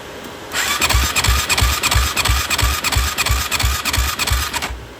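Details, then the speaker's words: Yamaha YFZ450 ATV cranking during a compression test at about 20 psi, under 50 psi even with oil added and dropping each crank: the starter spins fast and evenly with little resistance; head gasket and rings are suspected, with bubbles in the coolant. "Yeah, it's going down lower and lower. Not looking good. Every time I crank it, just Every time I crank it, it's getting lower and lower."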